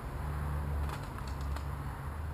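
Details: 1986 Honda TRX200SX single-cylinder quad just started after steering shaft repair, choke partly on: steady even drone held at raised speed, no dips; idle set too high, needs turning down with a screwdriver.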